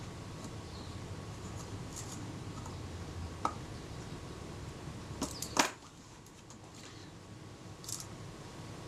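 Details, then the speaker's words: Kodak Retina Reflex type 025 leaf shutter after adjusting the speed cam during service for a faulty shutter release: crisp, clean snaps with no drag or hesitation; speed now correct. "okay we're in business that's good that speed's fine now"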